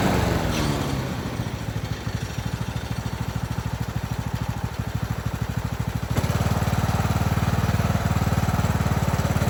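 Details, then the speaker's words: Craftsman YT3000 riding mower with donor replacement engine, after oil change with deck remounted, blades engaged, test run; steady even single-cylinder thump at settled speed, no misses or knocks, transmission solid, normal running. "right, well, it seems like it's running pretty well. Blades engage, transmission feels nice and solid on here."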